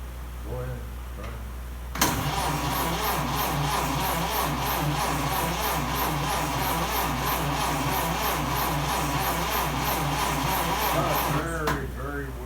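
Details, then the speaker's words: 1930 Ford Model A pickup after cylinder head machining, valve and distributor work: laboured cranking at about four beats a second for ten seconds without firing; battery cable very hot, voltage way down, weak battery. "This battery cable's getting very hot. yeah by the time it has to run the starter your voltage is down. way down."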